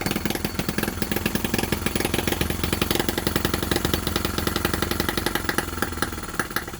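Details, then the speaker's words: Miniature Lister D working petrol engine (OKMO/Retrol), very first run right after first-pull start, with fresh sump oil, petrol and hopper cooling water: quick, even popping beat with steady firing, no misses or knocks. Runs fantastically, normal. "How was that first start? This sounds so fantastic running."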